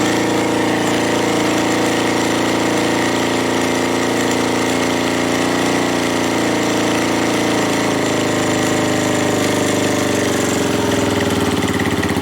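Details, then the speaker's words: Suzuki GN250 after work on the top-end ticking: loud, steady single-cylinder idle with an even beat and no top-end tapping. Some rattling comes from unattached parts around the bike, but the engine itself runs normally. "it's not ticking it's rattling but that's because of all my things around the bike are not attached so it's only just things going around there but the engine sounds like new"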